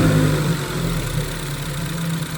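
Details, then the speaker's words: Ford Focus daily driver after replacing the PCV/crankcase baffle area parts, vapor canister purge valve and manifold gaskets, cold start then revved to about 2,000 rpm: smooth settled idle with no whine, previous whining noise gone. "As you guys heard, there was no whining, no Hellcat noises, so that's a blessing."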